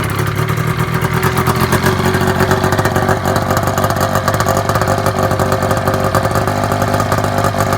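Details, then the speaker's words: Gen 3 Triple E with snowmobile two-stroke engine, running off battery charger: loud rattly run with raspy spitting edge; exhaust leaking all around loose muffler, not packed or riveted, just set on. "the exhaust leak style everywhere around the muffler it's not packed it's not riveted it's just kind of set on there so i can take it on and off to be able to work on it"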